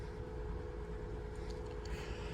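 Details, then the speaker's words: 2012 Honda Pilot 3.5 V6 after fixing faulty cylinder 6 coil (P0306 misfire): low, even idle rumble with faint steady tone, no skips; much smoother, check engine light still on. "Definitely a lot smoother. You could feel it on the steering wheel. A little vibrating from that one cylinder misfiring. Yep, that definitely did it."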